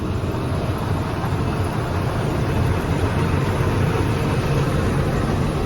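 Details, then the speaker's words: Header draper with 307.6 hours slowly started to check belts: steady even low drone with smooth mechanical hum, all draper belts moving, no knocks, squeals or grinding; no leaks, everything sounds normal. "Everything sounds good."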